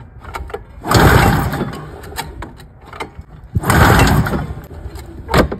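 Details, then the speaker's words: Ski-Doo Formula MX Rotax 467cc snowmobile cranks twice with sputtering but never fires; plugs had been wet (suspected flooding), dried, spark confirmed on both plugs, plenty of fuel; a cut wire on the handlebar found, cause unconfirmed. "so I don't get it fellas I don't know why it doesn't start all of a sudden"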